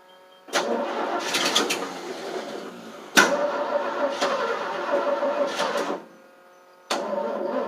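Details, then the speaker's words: 1988 FMC 6000 with a 5-speed in neutral, clutch pushed in and on booster cables: starter cranks in long bursts with short rests and the engine never catches; hard start because no fuel was reaching the carb. "This is getting hard to start right now. It's not liking me today."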